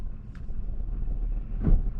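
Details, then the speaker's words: 2005 GMC Yukon XL after clearing C0327 transfer case encoder circuit code: idle rumble with wind, then one solid thunk as the transfer case locks cleanly into four low. "and I can hear it lock into four low"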